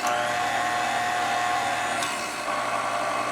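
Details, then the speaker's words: Older KitchenAid mixer on the lower gear after a grease repair. A steady motor whine rides over an even gear hum that shifts slightly midway, with no grinding or knocking; it doesn't sound bad. "but that's the lower gear. That doesn't sound bad."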